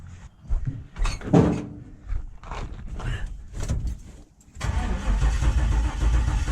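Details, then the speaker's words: LS-swapped C10 truck, engine not starting despite confirmed spark, fuel pump fuse pulled, cranking during compression test: uneven cranking rhythm with a rough catch; at least one dead cylinder, possibly burnt valve or out of time. "so that one's got compression so at this point we know I've got at least one dead cylinder could be a burnt valve could be out of time could be multiple things"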